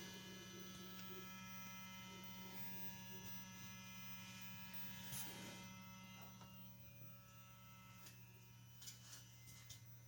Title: Wv Golf mk6 1.4 90kw 155K CAXA DQ200 - humming sound from mechatronics, ignition on, engine off.